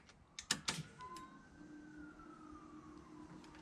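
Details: 1987 Nissan Pathfinder VG30i converted to 1995 VG30E EFI, before first start: a couple of clicks, then a faint electric whine rising to a steady hum; fuel pump priming normally.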